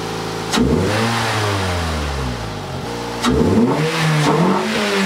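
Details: USDM Toyota Yaris 1.5L 1NZ-FE first start after fitting a 2ZR fuel pump, 2ZZ spark plugs and a 1ZZ throttle body spacer: revs rise and fall choppily, won't rev cleanly; cylinder misfires plus throttle position sensor code, limp mode.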